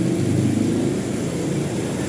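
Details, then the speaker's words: Toyota Revo 2.0 with AC on after the tensioner pulley was just greased rather than replaced: steady low engine drone with no belt squeal or chirp, where it was previously very noisy with aircon on. "Oh, di ba? Wala nang ingay ang aircon ko. Kahit naka-aircon."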